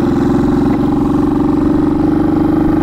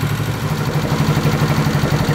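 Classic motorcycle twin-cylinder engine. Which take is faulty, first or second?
first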